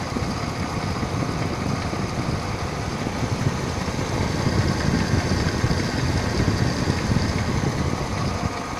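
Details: 2009 Mercedes-Benz GLK 350 at idle: a loose, uneven clattering engine noise over a steady idle hum with no clear beat. Engine clatter of unknown origin.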